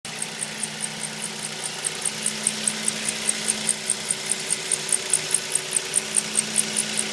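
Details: 2004 Mazda 3 engine running: steady high chirp about four times a second from the engine bay; squeak source not yet identified.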